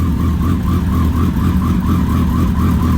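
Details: Kawasaki ZX10R after an engine install, running on fresh 93 octane after starting: loud, steady engine note with a faint wavering whistle and no knocks, misses or surging. Normal running.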